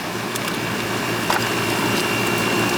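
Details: Older outdoor AC condenser unit that would not run, with a complaint of not cooling; a rusted, puffy capacitor was suspected. Steady even hum with mains-type drone and fan rush, no clicking; running normally.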